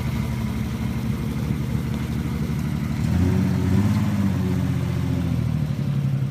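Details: Nissan 300ZX, engine undergoing a full rebuild: uneven, stumbling low engine beat with irregular dropouts that rises briefly with a rev. Misfire of unknown cause.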